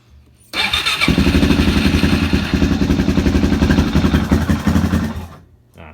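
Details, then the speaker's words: 2005 Suzuki DRZ400SM with many mods, cold startup with choke: catches and settles into a fast, even single-cylinder thump at choked high idle, then cuts off; normal cold start and idle. "anyways that's what she sounds like uh I gotta turn the choke and I'll just do that in another video"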